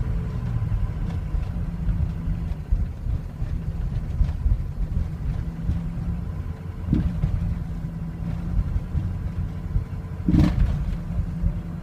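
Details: 2003 Ford Excursion 6.0L Powerstroke diesel at warm idle: low rumble that wavers and lurches with occasional heavy stumble. Worsens as it warms, stalls coasting or standing, vibration and possibly light surging driving; starts fine cold; cause not found.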